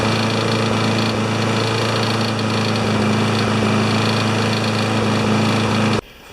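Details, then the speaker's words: Older 21-inch Craftsman mower single-cylinder engine running loud, its beat stumbling irregularly, a miss with the whole thing shaky; owner suspects the air filter and expects it to run better without it. "I just look at this air filter by the minute and why it was missing its gotta miss a bit of a Miss a the whole thing is a little bit shaky"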